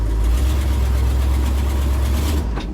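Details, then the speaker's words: Old Ford F100 run again after sitting all winter with leaky steering box: deep engine drone straining under load, front left brake locked up, dragging going forward; owner suspects poor greasing or missing adjuster. "It's really dragging. There we go. We're going back. I need to look at those brakes anyways."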